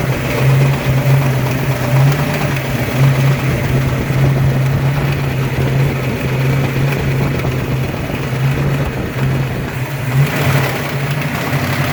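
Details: Ford 302 5.0 V8, never run before: deep even idle with faint repeating knock deep in block; persists with belts off, unchanged pulling each plug wire; owner suspects piston slap, broken wrist pin, timing chain or torque converter area, unconfirmed.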